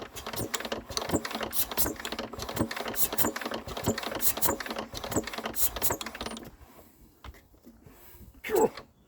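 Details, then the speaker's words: Enfield diesel engine, possibly hydrolocked after outdoor storage with water suspected, fuel pipe off: quick steady clicking as it is wound by hand, then a sharp pop as compression blows the loose injector out of its hole. "That's popped it. Did you hear that? That just pushed that injector out of its hole."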